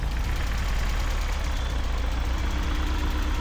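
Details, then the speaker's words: BMW E36 pulled from a field, running on its own fuel: loud deep idle with an uneven lumpy beat and stumbles; rough running, engine rocks, a misfire is suspected. "It's running on its own fuel. Not well, obviously, but it is running."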